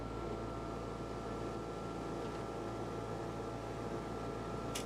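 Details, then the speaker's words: Dometic Penguin rooftop RV air conditioner, cover removed: steady low hum and fan rush with a fixed tone, vibration hum from a loose mounting bolt, usually fixed by tightening one of the four mounting bolts. "you notice that humming noise is usually as simple as just tightening up one of these four mounting bolts which is your three inch drive"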